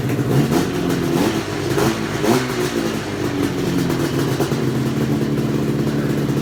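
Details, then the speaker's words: XC 700 two-stroke revived: crackly running with blips, settling to a busy, elevated smoky idle; runs fine, cables to be adjusted; idle speed too high. "well it's timely a little high eyes burn it's a little thick in here step outside it's adding a little high but it sounds good to stroke smoke baby"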